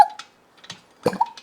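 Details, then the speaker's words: Yamaha GT80/GT1 two-stroke after top-end rebuild, turned by hand before refitting in frame: soft pops and brief reed squeak; reed valve and compression sound healthy. "that's you hear that read valve she's ready to suck some fuel and run I think so"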